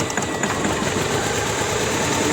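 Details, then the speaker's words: Opel Vectra 1.6 with hard starting and low power, new plugs and leads: uneven ticking idle with light irregular beat; cylinder 1 dead, no change when its lead is pulled; mechanic suspects no compression. "Ateşleme yapıyor ama ateşleme yapsa bile bir tepkime yok."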